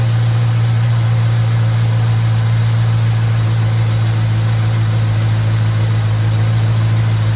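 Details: 1951 Hudson with a swapped LS 5.3 V8 on its first start on an eBay harness, VATS off in the PCM: a deep, even idle hum with a steady low drone and no misses or knocks, all eight cylinders firing, charging at 14.3 V. Normal idle.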